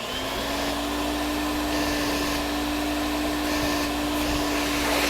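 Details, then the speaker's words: Electrolux Z1010 (twin turbo) vacuum after refurb, tested with hose and extension tool; smooth even motor roar and airflow rush, no rattles or surging; bag check indicator light comes on; normal running. "it's not bad the bag check indicator light is coming on"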